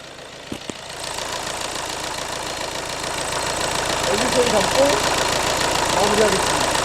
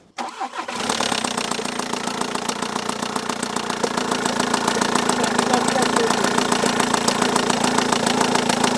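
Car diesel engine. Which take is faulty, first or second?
second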